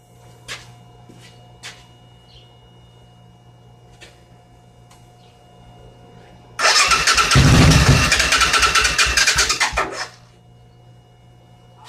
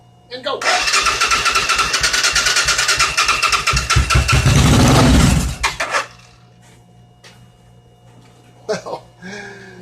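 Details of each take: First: 1986 Suzuki Intruder motorcycle project, weak battery: starter cranks about three seconds with ragged, uneven firing pulses that begin to catch but never settle into a run. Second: 1986 Suzuki Intruder V-twin motorcycle project, weak battery: catches after brief crank and runs with an even, lively beat on both cylinders before shutoff; normal idle.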